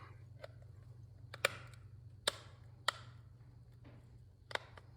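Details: iPod 5th gen after an upgrade with a new rear shell, front face and 3000mAh battery: crisp, light clicks about one a second with no rattle. The click wheel works normally now that the extra pads making it too tight were removed.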